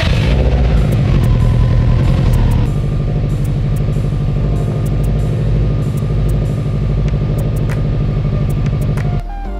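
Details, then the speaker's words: 2005 Subaru Legacy GT wagon idling after the Greddy mufflers were polished and reinstalled with new gaskets: a deep, even burble with a smooth low pulse and no puffing or ticking at the joints. The leak test confirms no exhaust leaks. "All right, we're good to go. No exhaust leaks."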